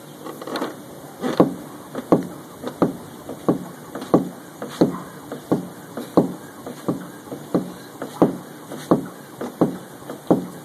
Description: There is a strange popping sound coming from my new struts and new bearing plate when I press down on the car. Its worse when going over speed bumps.